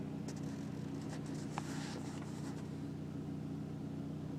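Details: 2004 BMW 325i E46 at idle or coming to a stop: steady low droning buzz and faint clicks, vibrating through the car; stops with slight throttle. Idle vibration noise, cause unclear.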